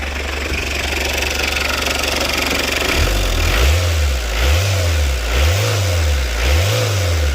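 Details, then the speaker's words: Citroen Berlingo after a new down pipe/front exhaust pipe was fitted: a smooth idle, then several clean, even throttle blips with no rattles or blowing; healthy engine, no oil or exhaust leak. "It sounds good. What we like. Brilliant. No oil leak and no exhaust leak."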